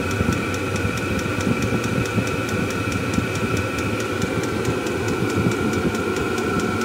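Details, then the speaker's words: Kroak diesel heater (5–8 kW range) tested outdoors before campervan installation: steady fan whistle with crisp fuel-pump tick about four times a second, blowing very hot air and much quieter once running; normal running. "après il fait beaucoup moins de bruit voilà là ça souffle vraiment très chaud"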